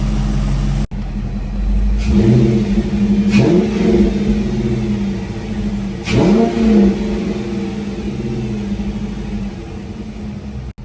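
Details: 2006-10 Dodge Charger 5.7 HEMI V8 after water pump, timing cover gasket and radiator replacement, first start-up; smooth steady idle with three clean throttle blips rising and falling without knocks or rattles; running healthy.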